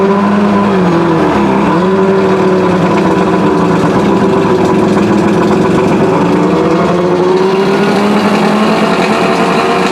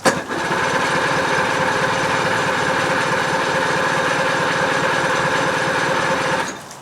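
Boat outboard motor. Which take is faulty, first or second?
second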